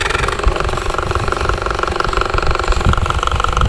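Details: Toshiba wall-mounted fan motor runs with a harsh, fast rattle and buzz at the shaft: the bushing is loose because its retaining clip came off and no longer locks it; fixed by fitting a replacement clip.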